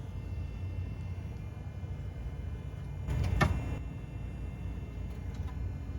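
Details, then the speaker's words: 2004 Toyota Highlander with steering swung lock to lock while checking underneath: a sharp click over a low rumble with fainter clicks after; the source is unclear, later traced to worn sway bar links. "I don't know where the clicking noise is coming from but this is my first clue that something connected to the steering wheel is at least one of the noise sources"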